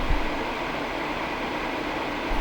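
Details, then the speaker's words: H-Calory Toolbox 2S diesel heater in its dedicated shutdown cycle, triggered from the control panel: the blower slowly ramps down as heat dissipates, and the glow plug appears to fire again to burn off soot. Even, airy whoosh with no rattles, a normal cooldown. "The blower slowly ramps down as the heat dissipates from the element. And it looks like the glow plug fires up again to burn away any diesel soot that may have accumulated in the burner."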